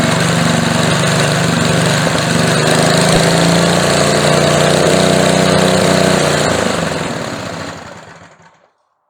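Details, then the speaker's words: Older edger with a McLane carburetor, after replacing the carb diaphragm and swapping a very old non-resistor spark plug for a resistor plug, air filter on: a smooth, even buzz at steady speed with no stumbling, then wind-down; normal running. "that did it. She sounds a whole lot better. now."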